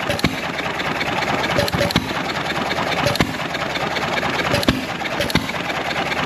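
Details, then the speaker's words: John Deere 1.5 hp hit-and-miss gas engine, started easily next day with fuel valve open about three turns, water now in hopper: sharp pops about every second over soft clatter, slow even beat; normal running. "look at that back hard and running nice"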